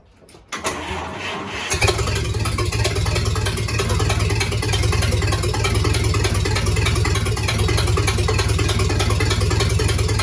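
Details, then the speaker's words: First start of a rebuilt 1953 Dodge flathead bored from 228 to 237 ci, given a shot of fuel: brief crank, it catches at once into a steady even idle, no ticking or knocking, about 43 psi oil pressure; normal start and idle. "We're sitting at about 43 pounds pressure, and there's not a noise. There's nothing ticking, no knocking, nothing at"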